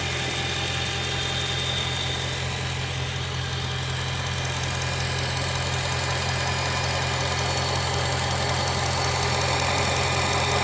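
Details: 2008 BMW M3 E92, 88,000 km, mostly city driving, at idle: sharp regular tick about 2.5 per second, resembling conrod bearing noise but actually exhaust manifold leak.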